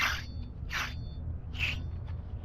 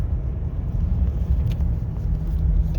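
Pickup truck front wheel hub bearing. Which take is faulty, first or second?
first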